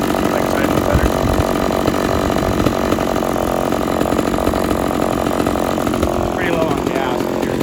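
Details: Homelite XL-113 chainsaw test run after reassembly to cure its idling problem, a cracked part found as a cause: fast, steady two-stroke burble holding an even idle without stalling or hunting.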